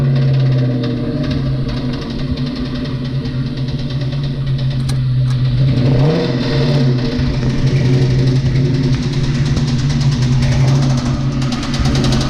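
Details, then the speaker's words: Mustang that sat two years, with a rod knock and metal flake in the oil, doing a burnout: hard revving with a rough, uneven thump rising with engine speed, a worn rod bearing knocking under load. "see how this thing sounds while knocking and doing a Brody that tests out that one too"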